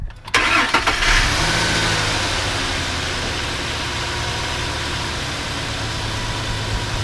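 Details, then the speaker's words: 2004–2008 Ford F-150 with good oil pressure and no oil loss: cranks briefly, fires right up with no hesitation and no check engine light, and settles into a smooth, steady idle; normal. "we heard how we're fired right up no problems no hesitation no check engine light it sounds good sounds smooth so that's how it should sound"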